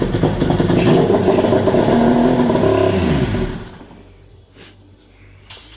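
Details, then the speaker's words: Polaris Ultra 680 two-stroke triple, first start after rebuild with a new crank and fluids refilled: barks to life, revs cleanly with even firing for a few seconds, then shuts off; sounds healthy. "well that thing sounded amazing i missed that sound i haven't heard in a while"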